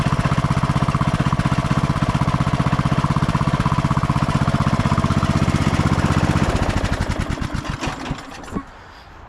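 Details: 2004 MTD Yard Machines Gold riding lawn tractor after oil change and carb cleaning: crisp, even single-cylinder firing at about four beats a second, then a clean wind-down at shutoff; runs healthy.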